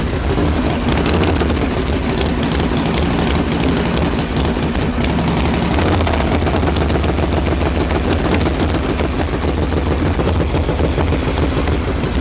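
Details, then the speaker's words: Freshly reassembled Harley Knucklehead, stone cold after kick start, choke open, not yet dialed in: loose, loping, uneven V-twin idle with thick drone, improving as mixture is leaned out a little; rich-running cold idle. "I guess we can lean it out a little bit too that's better"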